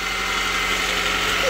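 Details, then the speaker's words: 2000 Honda CR-V 2.0 after replacing the distributor, since it had no spark and would not start; smooth even idle with no misses; normal idle, fixed by the distributor alone. "que trabajando al 100 eso invito se solucionó con el puro distribuidor no había chispa"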